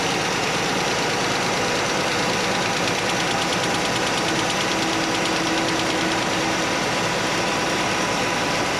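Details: Chevy Nova straight-six after repair: steady, even idle with smooth hum and no clank; the single rocker arm was readjusted, backed off from 3/4 turn past quiet because that ran rough, now normal idle.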